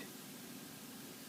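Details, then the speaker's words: PowerMac G5, single 1.6 GHz PowerPC, with a flashed ATI Radeon X850 Pro graphics card, after booting into Mac OS X 10.5.8 Leopard: the loud graphics-card fan noise is gone, leaving only a soft, even airy fan hiss; runs quietly and normally. "this system actually runs very quietly as you will hear once it boots up and neutralizes the graphics card"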